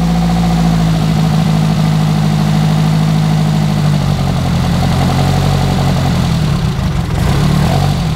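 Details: Renault R8 Gordini rebuilt engine just after its first start: a steady, even low rumble with a firm beat and no knocks or rattles. Normal idle.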